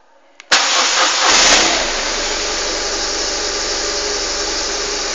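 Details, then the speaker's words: Fully cold engine started for first test after repair with tank refitted: brief crank, catches at once, flares and settles to a steady even idle with no misses; good clean start. "Bueno hasta el momento estupendamente sigue funcionando"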